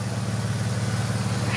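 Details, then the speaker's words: Used all-wheel-drive Jeep with the 3.6 engine, which the seller's son claimed needed a new engine: deep steady rumbling idle with even pulses and no knocking; the engine sounds sound and the exhaust is simply loud. "this Tiger was almost flat the exhaust is loud but jeez"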